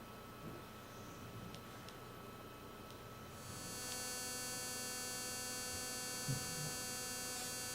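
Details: Speakers hooked to an Apple TV: a steady electrical hum that jumps to a louder, brighter buzz when fast forward is pressed or when navigating to the main menu. Interference noise, cause unknown.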